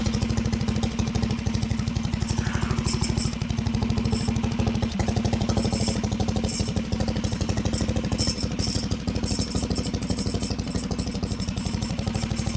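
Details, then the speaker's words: Harbor Freight Predator 420cc built engine on 2WD Coleman minibike, near-freezing rain: steady idle with rattling clatter on every firing pulse, about three per second; recoil starter walking its way out. "I legitimately don't know what's making that noise. Ah, that's walking. The starter's walking its way out."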